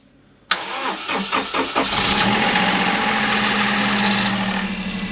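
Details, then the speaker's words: 2006 Daihatsu Charade/Mira/Cuore L251, known to smoke badly, first start since June on a jump pack: cranks a few beats, catches, runs harsh and rattly briefly until slow oil pressure builds, then settles. "Oh, it took a while for the oil pressure to build up there, but we're there. You probably heard that, the harshness in the engine, but she's alive."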